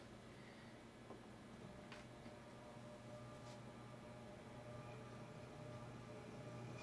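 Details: 1948 ILG model 213 exhaust fan, rewired, first test run on the low-speed winding: quiet, steady, even low hum with no knocking or scraping; low speed runs smooth (high speed later sounded poor, possibly needs capacitors).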